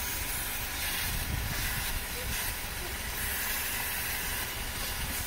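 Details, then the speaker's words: 2005 Pontiac Vibe (Toyota Matrix) with code P0171 lean condition: a steady airy hiss over the idling engine from a vacuum leak at the old, deteriorated PCV valve hose, found after the PCV valve was replaced. "Ok, con este código lo más seguro es que tengamos un vacuum leak o una fuga de aire."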